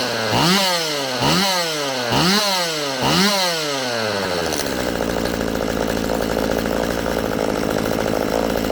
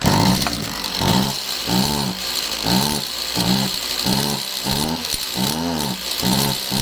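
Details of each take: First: Stihl MS192TC chainsaw after cleaning the muffler, with the bar and chain refitted: quick throttle blips climb cleanly, then it holds a steady high full-throttle scream with no bogging; it runs normally. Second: Stihl MS192TC chainsaw that starts easy but bogs, air box off and bar and chain removed; revs climb then sag about once per second, never holding high speed, still bogging; clutch suspected but not the main cause.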